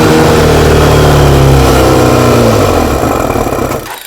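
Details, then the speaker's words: Motorcycle with 155 jets after carb refit, running from a temporary secondary tank, no air filter/restriction fitted: revs hard then pitch sags and dies within about four seconds; owner thinks it may need more fuel. "that's obviously with no um air restriction at all on there at the moment might need a bit more fuel"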